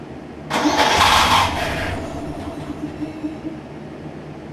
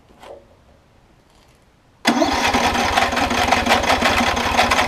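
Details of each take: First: Circa-2015 Snapper rear-engine rider with push-mower-type engine, barely used and long stored, after carb clean and fresh fuel: cranks briefly, catches quickly and settles to a steady even idle, smoothing out; owner thinks it just needs run time; normal start and idle. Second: Circa-2015 Snapper rear-engine rider, push-mower-type engine, spark confirmed, started on fresh fluid: catches, runs a few seconds with surging uneven beat, sags toward stall; suspected bad gas, varnished carb; fuel starvation, carb clean needed.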